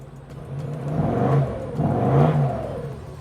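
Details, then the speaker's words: Range Rover L322 3.6 TDV8 with rear back box deleted, EGR valves blanked: two deep throaty rev blips rising and falling smoothly, louder and rawer than stock; healthy sportier exhaust note. "Sportier sound with the removed back box. Does sound good."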